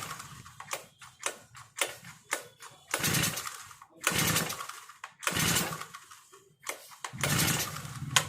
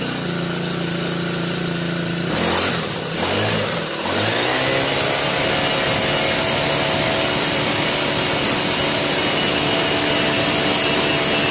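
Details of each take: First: Four-stroke brush cutter with foam air filter: after pressing the carburettor primer bulb 8–10 times, repeated rasping pull-cord strokes with no firing or catching; it cranks but won't start, so the choke will be used next. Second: Brand-new Turbotech SD T35 4S four-stroke brush cutter that would not start; after replacing shorted ignition coil it catches in a couple of pulls and settles into steady high even buzz, running properly.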